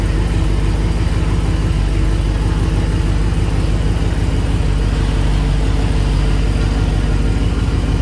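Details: 1994 Chevy C3500 dually with a swapped LQ4 V8, just fitted with a homemade Y-pipe that has gaps. A deep, lumpy idle with an uneven pulse about three beats a second that hunts and stumbles; still rough, with a wiring or injector issue suspected.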